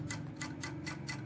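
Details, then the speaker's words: Automatic voltage stabilizer (AVR) whose voltage needle is dead after fuse replacement: sharp regular ticks about four times a second over a steady low hum, the servo motor carbon brush on the coil suspected dirty. "like there is a sound ] [ try to listen and pay attention ] [ OK ] [ this is the sound of servo motor charcoal"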